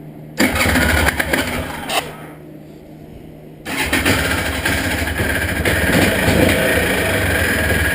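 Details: Honda Odyssey FL350 after carburetor cleaning (clogged main and slow jets), first start: brief cranking and a stumble, then catches and settles into a steady, rough-edged idle; needs more work.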